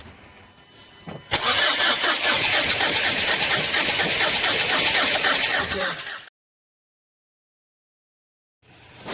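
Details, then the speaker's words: Renault Scenic diesel, crank no start: steady cranking about three beats a second for five seconds, stops without firing; exhaust back-pressure reads about 1557 mbar, far too high, so a choked DPF is suspected; loose injectors also considered. "the fact it goes back down to zero with the ignition on makes me think that it's not fault"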